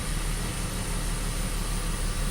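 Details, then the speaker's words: BMW X5 at idle: low, rough idle with a slightly uneven beat; misfire briefly disappears then returns, intermittent, check engine light comes back, cause not confirmed. "was gone for a second yeah it's misfiring again let's shut it off take the key out"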